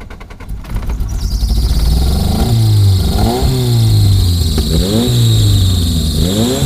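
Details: Honda Accord on start-up after a fix: the engine catches and revs in uneven surges with a thin high squeal over it; the squeal stops as it settles into a steady idle, a slipping accessory belt.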